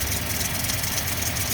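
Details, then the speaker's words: 2000 Toyota Tundra 4.7 V8 automatic: uneven, lumpy idle with periodic stumble, shaking worse when driving and a flashing check engine light; misfire on cylinders 6 and 8 from crossed coil wires and a broken coil connector. "Tenemos aquí el problemita que está este flasheando la luz del check engine y está temblando tiembla mucho el carro más cuando ya avanzan"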